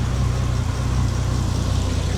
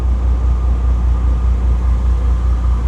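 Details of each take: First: Bentley restarted right after an engine-bay fire needing an extinguisher; owner suspects a cause linked to filling the brake fluid. Work also covers a cylinder 10 injector and MAF swap. Steady low idle with occasional uneven pulses: slight misfire at idle. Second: Bentley W12 after replacing the cylinder 10 injector: deep, even engine rumble with a steady low pulse and no missing beats, running much smoother on all cylinders; smooth running engine.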